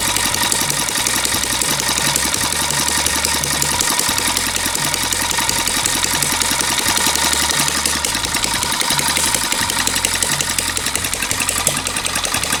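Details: Long-unused small petrol water-pump engine, hard to start, finally started: steady, fairly even running beat at constant speed with no stumbling or dropouts; running smoothly.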